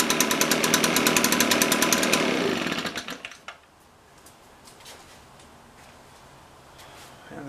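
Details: Echo PB-580T leaf blower, older fuel, cold start, reported to bog on throttle, vacuum leak suspected: two-stroke putters evenly a few seconds then sags; idle too low, needs carburetor adjustment.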